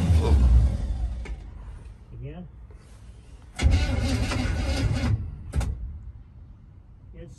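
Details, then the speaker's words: 1961 Chevrolet Impala barn find, unstarted after 28 years: starter spins the engine in short bursts that stop abruptly on their own after about a second, then resume; intermittent cranking cutout, cause unknown. "on its own you're not stopping are you yeah we'll do it again yeah yeah it stops right there again"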